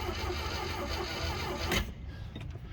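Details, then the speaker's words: Glastron Carlson CVX-16 boat on the first day of its rejuvenation, engine never tried before, cranked only to check whether it turns over, without gas. Slow, labored starter churning for under two seconds without catching. Weak cranking, but it cranks. "well sounded a little weak but it was cranking it was cranking so that's good"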